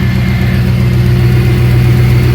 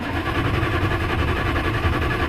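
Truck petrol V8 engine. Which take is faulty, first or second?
second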